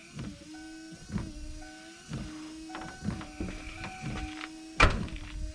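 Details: Just-replaced wiper motor on a 1993 Ford F-150, first test on low after repair: even motor hum with a soft thunk at each end of the sweep, about once a second; wipers running smoothly, normal operation.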